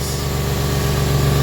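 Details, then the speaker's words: Engine with a K&N cold air filter, changed intake, apparently recently replaced spark plugs and red plug wires; slight exhaust ticking noted earlier that may settle as idle drops: deep, steady idle with an even low rumble, no knocking or misfire, alternator running smooth. Normal idle. "alternators running smooth it runs really smooth man ac works they see moving runs really really smooth man"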